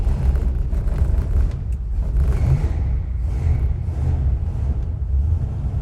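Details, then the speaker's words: 1964 Cadillac Coupe De Ville V8 cold in a garage at about 10 degrees after a hard start: deep, steady low rumble with no knocks or misses, settling into an even, normal cold idle. "Well, it's running now. It is cold."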